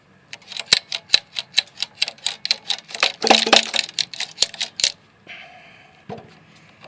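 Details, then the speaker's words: 1965 4 hp vertical-shaft Briggs & Stratton rototiller engine turned slowly by hand: loose metallic clatter and ticks in the crankcase with little compression and no firing; connecting rod broken, with rod pieces, aluminum melted onto the crank and light bore scoring. "the engine turns over but there doesn't seem to be much compression I'm uh I'm thinking maybe it's got a broken connecting rod but I'll pull it apart and find out"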